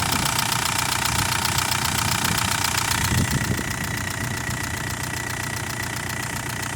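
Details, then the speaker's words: 2001 VW Beetle TDI ALH diesel donor car, 122,000 miles, rollover-damaged, no serpentine belt fitted: steady diesel clatter at idle with an even rhythm and no odd knocks; running nicely, slight white smoke and oil smell. "And we got it going here. And it's running pretty nice."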